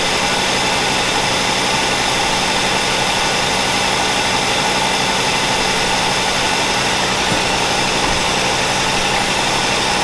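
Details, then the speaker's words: 1963 Cadillac Coupe Deville barn find V8 after tuning to run smoother: slow, steady idle with even note, no knocks or stumbles; runs noticeably slower and healthy. "she sounds like she runs a lot slower now"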